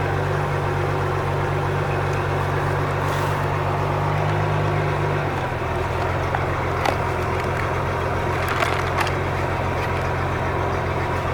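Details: 4.3 MerCruiser boat engine after bad starter replaced and carburetor rebuilt for no-start: even, steady rumble that steps down slightly in speed midway then settles; idles healthy.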